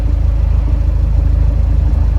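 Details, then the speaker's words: Fiat 124 Spider, 1.4L MultiAir turbo, smooth warm idle with no misfires or stumbles right after the air conditioning was switched on then off; exhaust smooth. Owner is investigating suspected camshaft issues, cause still unknown. "Ready? See how much smoother that is? I didn't do nothing. All I did was turn the air on and then off."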